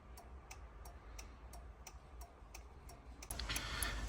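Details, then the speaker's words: Fiat Doblo that won't start, battery just reconnected: regular relay ticks about three per second with no cranking; hazard lights flash constantly, odometer flashes a code. "підключив акумулятор машина мигає аварійкою просто мигає аварійкою постійно мигає пробег мигає код Давайте робити діагностику"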